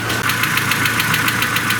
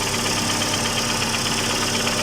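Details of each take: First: Mercedes A140 (W168) petrol engine idling just after start; crisp, even ticking about seven a second over the idle, confirmed as tapping hydraulic lifters, which were then replaced. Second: Mercedes A140 (W168) after replacing ticking hydraulic valve lifters; engine started and revved, steady even note with smooth rev and no valve-gear tapping, lifter noise gone.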